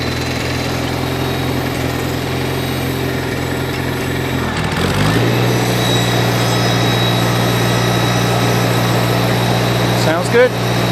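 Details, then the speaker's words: 1953 Farmall Cub that kept dying seconds after starting; carburetor was cleaned of small obstructions and refitted badly warped with two gaskets, not filed. Now idles evenly and steps up smoothly in speed with no stumbles: normal running. "even with a warped carburetor two gaskets running great so i don't plan to file that down"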